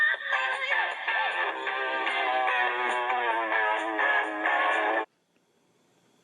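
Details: GE cassette recorder after turning down the variable speed playback (VSP) knob that had been set fully up: music at steady, natural pitch with no wow or drag, then stops cleanly; tape speed now correct.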